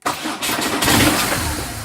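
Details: BMW R1200GS with intermittent no-start from a faulty clutch switch, started in gear with clutch switch taped fully depressed: brief crank, twin catches cleanly, even idle; normal start and idle.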